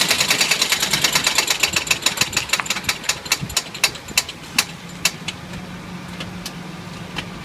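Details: Suzuki Jimny engine with sharp metallic knocks about three per second that slow and fade as the engine winds down; hard mechanical knock, source unknown: engine knocking.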